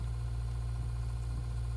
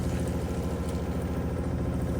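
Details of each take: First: RV water pump after silencing fixes (accumulator tank, silencing hose kit), heard inside RV; only a soft steady low hum, no pulsing or rattle, barely audible; running quietly and smoothly. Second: RV water pump heard inside RV before silencing fixes (accumulator tank, silencing hose kit); loud fast buzzing drone with rough rattly pulse, pump vibration carried through rigid water lines.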